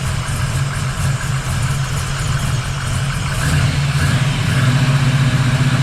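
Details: 1979 Camaro Z28 V8 warming after the Pete Jackson gear drive was replaced with an Edelbrock Performer double-roller timing chain, new balancer and water pump. Deep, loud idle with steady burble and slight rev rise, no gear whine or clatter. Normal idle.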